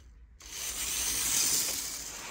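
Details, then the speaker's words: 1980s Hornby APT model train test run after a ringfield motor upgrade kit replaced its worn armature; a light, high-pitched whir starts abruptly, swells with power, then eases. The new motor runs smoothly, freely and very sprightly. "all right let's just put a little bit of power through wow well that certainly wants to go that's uh very sprightly"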